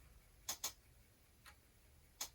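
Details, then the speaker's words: Commodore 1541 disk drive formatting a disk: quiet background with a handful of sharp, separate clicks as the stepper motor moves the head from track to track; healthy drive working normally. "the stepper motor going from one track to another to another to another"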